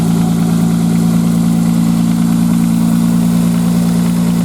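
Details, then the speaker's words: 1995 Nissan Maxima, cold start: a light, fast tick at about three or four a second over a steady hum, like plastic on plastic, gone once warm. It is suspected to be a tensioner problem; an exhaust leak is also present. "anyways this thing she purrs like a kitten now except when you started up in cold weather I'll get her going here and I'll show you what I'm talking about kind of a tick tick and they got an exhaust leak"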